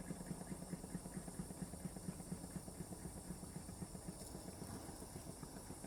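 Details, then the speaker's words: Wilesco D455 toy steam engine on two fuel tablets running slowly; soft, steady chuffing about five beats a second with light hiss, very quiet, runs either direction, like museum engines; healthy engine. "If you ever go to a steam museum, this is the speed the steam engines are running. The full size ones, they're never roaring away."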